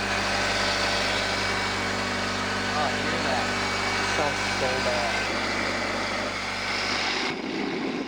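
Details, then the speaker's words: 1997 Honda Civic at idle: rough, gritty grinding and rasp from the belt area. Worn idler (belt tensioner) pulley bearing, confirmed by spinning the pulleys by hand; the pulley gets replaced. "en to it you'll be able to hear the vibrations and in this case you can hear a lot of grinding noises"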